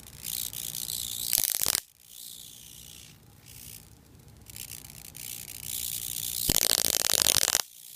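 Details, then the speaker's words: Ion chair power supply (120 V oil ignition transformer, 10 kV 23 mA, into voltage doubler, 20–30 kV DC): shorting the positive side to ground gives a sharp hissing crackle in hard bursts, squealing as it discharges up top; needs better insulation. "When I short the positive side to ground, it's discharging up here. Need to insulate that better. It only does that when I short the positive side to ground. If I come up to the top, same ground lead, I short it out up here, you can hear it squeal."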